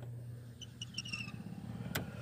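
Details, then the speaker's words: 2011 Toyota Tacoma blower motor, before replacement; steady low fan hum with thin high squeal in short repeating chirps; bearing running dry, was worse, lubed months ago but squeak returning: dry blower motor bearing. "that's the bearing running dry. It was a lot worse than that."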